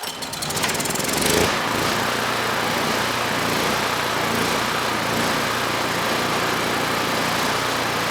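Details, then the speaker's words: Generac GP5500 generator with low compression and a decompression system, restarted after a valve clearance adjustment to check starting: a few pull-over chuffs, then it catches and settles into a steady even drone; it still starts fine, though possible power loss is unconfirmed. "So good. Even with that adjustment, the engine can still start."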